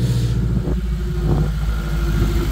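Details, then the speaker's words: 1949 Armstrong Siddeley Lancaster, first start in a year, new distributor fitted, exhaust removed: deep, loud, raw rumble pulsing with the revs and no muffling; engine running open with no exhaust. "very good reason why she sounds very throaty because there's no exhaust on it I've taken the exhaust off the car so it's just going to sound a bit Grim"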